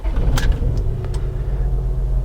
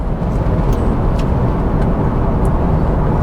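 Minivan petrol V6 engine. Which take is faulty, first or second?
first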